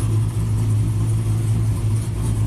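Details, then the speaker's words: 2000 GMC Sierra 5.3 V8, tuned with cam and exhaust, new OEM CKP sensor fitted, setting P0336: revs surge and sag with a heavy stumbling rumble, won't rev above 2500 rpm; misfire from the crank sensor not seating properly. "so this thing won't rev above before I wouldn't rev above two and a half thousand"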